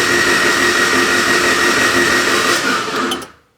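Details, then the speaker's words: Newly built Honda H22 turbo engine in a Civic before first start: a fast, even whirring crank at about three beats a second with no compression strain, spun on the starter with plugs out to prime oil pressure, which registers. Then it stops. "So let's try cranking it again, Matt. we're gonna, the plugs are out already? Plugs are out."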